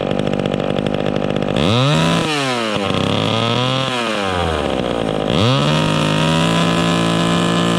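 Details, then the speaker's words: Vintage chainsaw during high-speed carburetor tuning, revving with no load: burbles unevenly at the top instead of screaming clean, four-stroking from a slightly rich setting that should clean up in the cut. "okay that's good right there she's a blubbering blubbering in the cut are blubbering when she's revving up on no load but it should clean up in the cut"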